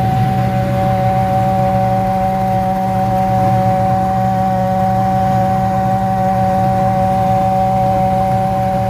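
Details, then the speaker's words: 1989 Ford Mustang GT V8, sat in storage for years, idling: loud steady mid-pitched humming, vibrating noise from the alternator, sounds like a locked-up bearing humming on the shaft; no charging, leaking heater core also found. "the alternator is what's making that loud humming vibrating noise it's terrible it sounds like a barend is locked up and it's just a humming on the shaft"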